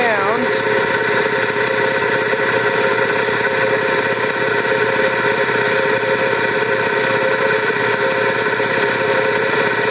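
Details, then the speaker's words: Vintage air compressor with General Electric single-phase 2hp motor and two-stage reciprocating pump; it runs unloaded with a steady, even hum and no knocks: normal unloaded running. "once we bleed some air off this valve will close again see you hear it running but it's not actually pumping now"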